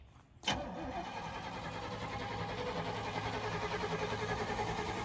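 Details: Sportscoach RV, 454 big block with Turbo 475, sat 12 years; sharp start then long uneven churning about three pulses a second without catching; flooded, fuel pump suspected pushing through carb needle and seat.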